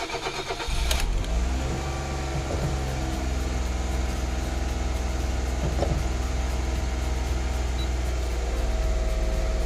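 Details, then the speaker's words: Suzuki Alto Lapin after swapping parts for high revs and inconsistent RPM: engine catches after brief crank and runs fast and steady, easing down; idle sitting too high, possible relearn needed. "just my feeling we were sitting at around 3K RPM for idle and uh yeah this is coming way down"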